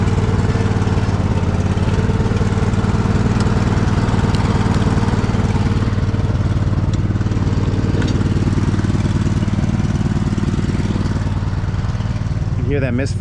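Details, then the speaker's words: Poulan riding mower engine, choke out, before servicing: loud steady drone with uneven beat, occasional stumbles and popping; misfiring, cause not pinned down, needs servicing. "It's starting to pop a little bit. It just needs some servicing."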